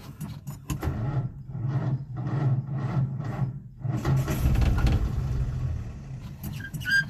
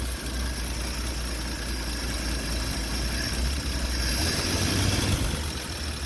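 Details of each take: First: Old Nash on a 6-volt system after replacing a cracked glass fuel sediment bowl with a fence post cap: slow, even starter chugging at two to three turns a second that never catches; out of fuel, carburettor needs priming, battery getting hot. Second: Old four-stroke Nash after the water pump and fuel pump were fixed (fuel-bowl crack capped): steady, even low idle with no knocks, rusty moisture from the tailpipe. The fuel pump is pumping. Normal idle.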